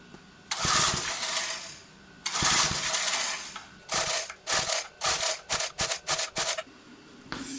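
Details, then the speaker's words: Old 20-ton Clarke Log Buster log splitter that sat outside 10–12 years, with a roughly 3.25–3.5 hp Briggs & Stratton engine and a new replacement carburetor: repeated rasping recoil pulls, quickening, and the engine never fires. It won't start after hours of work. "I've had this apart I don't know how many times now, and it just will not start."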